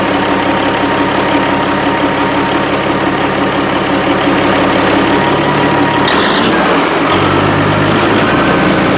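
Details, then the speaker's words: 1987 Kenworth T600 3406B diesel idling at its first start after over 20 years in a field: even, steady, smooth low chug with no misses or knocks; it runs and sounds good with excellent oil pressure right away. "i mean it runs and it runs good i mean it sounds good made excellent oil pressure right away"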